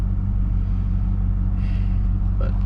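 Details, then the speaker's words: Pontiac GTO idling around 600–700 rpm: low, steady, even rumble with no knocks or misses. Normal idle. "we got it idling at 600 or so maybe 700 rpm just a purring"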